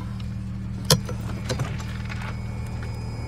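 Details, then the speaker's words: BMW E92 335i N54, first start after in-tank Walbro 460LPH fuel pump upgrade, battery reconnected with parts left off: quiet steady idle, low even hum, couple of faint clicks, no pump whine; runs fine. "fuel pump's not even that noisy i don't know it looks alright"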